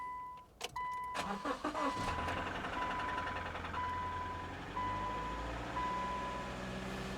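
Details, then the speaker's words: Salvage car, 120,000 miles: engine cranks, catches and settles to a steady idle; light knocking on first cold start that then eases and sounds better; coolant possibly low. "Did you hear the little knocking? When she first started, 120,000 miles right there. But now it sounds better."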